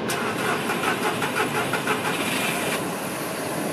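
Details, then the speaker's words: VW Polo with a faulty camshaft position sensor, code P0342: the starter churns in even pulses about three a second for nearly three seconds before catching, a long crank that also comes with jerky acceleration. "in terms of symptoms it basically makes the car pretty awful to drive it affects almost everything it affects startup"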